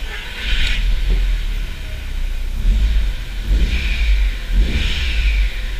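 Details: Audi TT Mk1 after replacing a faulty ignition coil: engine catches and revs up cleanly in smooth, even blips with no misfire stumble; sounds healthy, though another fault may remain in the boost system.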